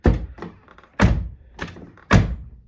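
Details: Door after sound insulation was added, making it heavier. Three dull, deep thuds with quick decay and no rattle or ring; the door sounds solid and well damped.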